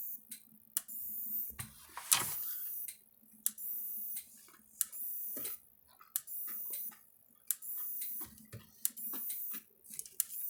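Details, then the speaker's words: Maxim M5-50 electric fence energizer after repair, powered on: sharp evenly spaced clicks about every 1.5 seconds with light flashing, normal pulsing, about 7,000 volts output. "All right, you hear it clicking and stuff. The light's flashing, you can hear it clicking."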